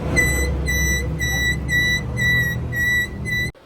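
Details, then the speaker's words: Motorcycle drum brake squealing when braking: sharp high squeal pulsing about twice a second, then stopping dead; the noise is called grating and unpleasant, with the fault to be traced by opening the brake. "जब आप bike की break लगाते हैं और ऐसी आवाज़ आना start हो जाए तो ये इंतहाई अजीब किस्म की लगती है और दिमाग को चुभती है और बहुत बुरा लगता है।"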